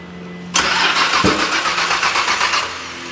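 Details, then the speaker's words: Nissan R33 Skyline GT-R LM, rebuilt, first start attempt with fuel pressure only 150 kPa of about 300 wanted: starter cranks steadily and fast for about two seconds with one faint pop, maybe front or back, but never catches. "pop. Sounded like a pop. I did hear a pop."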